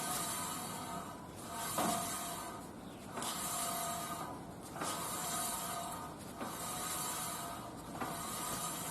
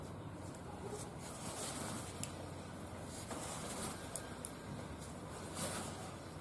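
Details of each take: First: Car lifted, in neutral, front wheel turned by hand after recent wheel bearing replacement: rhythmic scraping swish once per turn, noise on road rising with speed, not the bearing; right side is silent. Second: Car raised, in neutral, front wheel hand-spun after a recent wheel bearing replacement, turning almost silently with soft hiss and light ticks: bearing normal, while a speed-dependent road noise from the other wheel remains to find.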